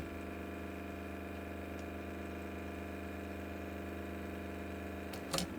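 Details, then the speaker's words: Nakamichi 481 cassette deck, previously burnt out, in stop mode: steady low motor hum with a faint buzz, then a click. The reel motor runs uncommanded while something heats up; transistor Q405 is later found getting hot. "So clearly something happened with the real drive to cause it to act like that."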